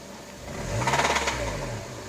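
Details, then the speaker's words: Honda Accord 7th generation, 2.4 L 190 hp: idles perfectly, no oil burning; throttle blip brings quick rattling knock over rising revs, fading back at idle; engine knocks under throttle. "На холостых работает изумительно вообще. Так, масло не горит. Ничего не горит, все нормально. Газ нажимаешь, он начинает стучать."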